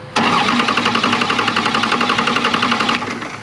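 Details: 12-valve Cummins diesel restarting after 4 gallons of water were found in the crankcase and the injectors were suspected, with a hood stack fitted. It fires at once and settles into a steady, even clatter with no misses or knocks, then cuts off. A healthy restart.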